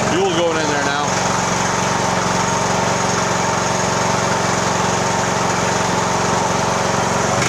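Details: Poulan riding mower after tune-up, oil change and valve adjustment, started with choke and parking brake on in neutral: engine catches after a second and settles into a steady, even buzzing run with no stumbling; normal running.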